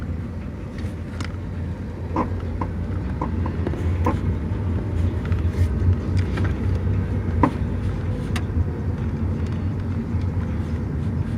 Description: My Car makes weird popping noise..does this every now and then.